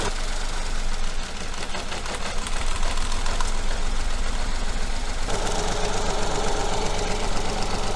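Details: Coil-on-plug engine at idle with one cylinder's injector disconnected to take its fuel away: low idle that stumbles and lopes with an uneven beat and a dropped pulse; one cylinder not firing, a misfire.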